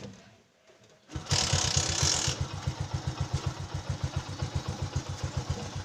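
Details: Motorcycle with hard-start problem, after spark plug gap adjustment and carburetor air-fuel tuning: engine catches, revs briefly, then settles into an even steady idle about eight pulses a second; normal idle.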